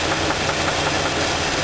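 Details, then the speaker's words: Engine with spark plug wires pulled one at a time (cylinders one to four on one side) while running to isolate the knock; rough idle with a dull knock that stops on cylinder two; spun rod bearing found, crankshaft journal rough. "so when I pull this bargain the spark plug off if it's not the right cylinder it knocking noise will continue if it's the right cylinder the knocking noise will stop"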